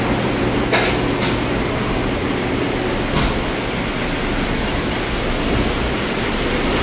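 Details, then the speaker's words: Haughton Type 601 DC gearless traction elevator machine, installed 1980s, 104 hp, 1200 FPM, very low RPM, recorded in machine room during a trip: even low hum, smooth steady whir, no knocking or grinding; normal running. "machines are very low RPM for how fast they travel down there into the shaft"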